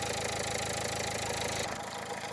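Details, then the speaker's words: 2015 Dacia Logan MCV petrol engine at idle, after an oil change and before adding hydraulic lifter additive: fast, light, even ticking over the steady running note; lifter tick still present. "Does it still have lifter tick? I'd say yeah, that still sounds like it's ticking to me."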